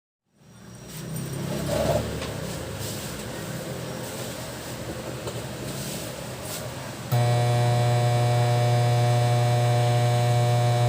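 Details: Kevler KR-310A powered speaker: a soft hiss gives way to a loud, steady low mains-hum buzz.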